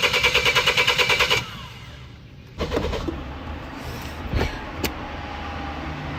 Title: Missed my University ~ Car wont Start